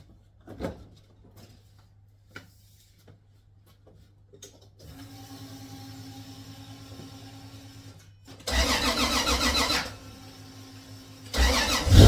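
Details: Toyota 2JZ VVTi turbo swap, very first start after ECU calibration and timing setup (minor trigger setup issue noted): faint clicks, low whirr, then engine fires in loud bursts and catches, running roughly while settling.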